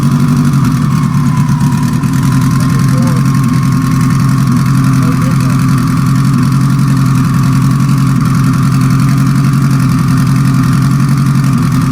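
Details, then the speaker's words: Four-cylinder car after a sequential transmission rebuild: loud, choppy, uneven idle; unplugging cylinder 4 changes nothing, so it runs on three cylinders, likely a stuck injector that the owner will pull and tap on the bench. "well number four not firing at all i unplugged number four there was no change you can hear how rough it's choppy it's not smooth so it's only running on three cylinders right now"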